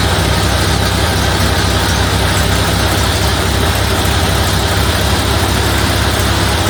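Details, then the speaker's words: 1931 Ford Model A Victoria after an in-frame cam and tappet replacement following a broken lifter: low, steady loping idle with no tapping or valve-train clatter; sounds like it always did, carburetor not yet adjusted. "that sounds like it always did I guess I'll adjust the carburetor I would call that a success"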